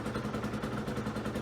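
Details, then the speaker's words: Aprilia small two-stroke idling on non-ethanol fuel, mixture screw previously set with a Colortune, no smoke: even, quick popping beat of about fourteen pulses a second, steady and unbroken; sounds okay, clean healthy idle. "So, the bike's sounding okay."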